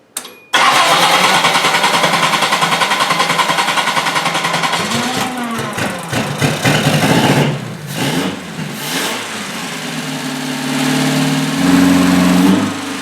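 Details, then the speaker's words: 1982 Datsun 210 first start in 13 years after draining stale fuel, fuel system flush, new battery and fresh fuel poured into the carburetor: rapid, even cranking for about five seconds, then it catches with throttle blips; a healthy first start. "okay so it sounds more like a singer sewing machine instead of a ferrari but it's running and i'm both a little surprised and extremely happy"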